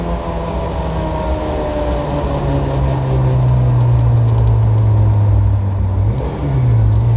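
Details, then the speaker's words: Toyota MR2 Spyder (ZZW30) with freshly swapped 2ZZ-GE engine, first road drive, still untuned with imperfect AFRs: engine note climbs under load with sharper edge at lift (cam changeover), but pull sounds flat and soft, weak acceleration, needs tuning. "It's not quite pulling as hard as it should. You can feel there is grunt, but it's not pulling as frankly as it should."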